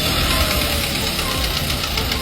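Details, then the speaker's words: Engine running with a fast, light, steady metallic rattle over the hum, pinging; possible causes bad or dirty spark plugs or carbon inside the engine, not determined. "cuando está cascabeleando tu auto puede haber múltiples razones. Puede ser que las bujías no tienen, no están buenas o hay que limpiarlas como puede haber carbonilla dentro del motor."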